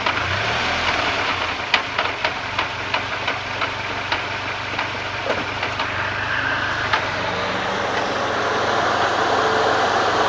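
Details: SRT-4, clunking noise complaint: light throttle blip then idling down, a string of sharp knocks about four a second follows and fades as the engine settles to idle.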